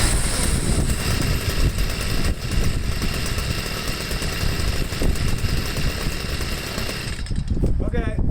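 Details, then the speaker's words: Stihl sweeper MM55 two-stroke with replacement Hipa C1Q-S97 carburetor, idle set, no mixture adjustment needed: buzzes up cleanly on throttle and settles to steady idle without stumbling; normal idle and throttle response. "like all the other hipaa carburetors this doesn't even need any mixture adjustments throttles right up goes back down to idle"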